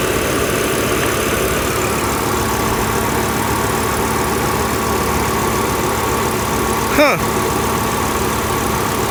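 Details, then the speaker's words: Hot petrol engine on car with suspected blown head gasket after overheating, coolant pushing from reservoir; idles with slightly ragged, uneven beat from a misfire on one unidentified cylinder. "Misfiring on one of these cylinders, I don't know which one, but the engine's hot."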